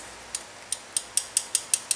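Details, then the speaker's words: Honda CB360 valve adjustment, engine off: eight light, crisp metallic taps about a fifth of a second apart as the rocker is rocked by hand after setting with a 3 feeler gauge; clearance correctly set. "I can't see it move but I can feel it my fingers move and you can feel that tap so that guy's adjusted"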